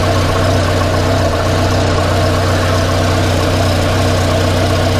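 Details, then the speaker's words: 1994 Volvo 480 2.0-litre, just started after fitting a replacement downpipe; loud, steady idle with a rough, puffing blow on the firing beat; exhaust leak heard at the rear coupling. "yeah it's quite an exhaust blow coming from that coupler yeah from from round this coupling I think that's where we've got an exhaust leak I mean it is actually coming out you can hear it is creating quite a bit of pressure"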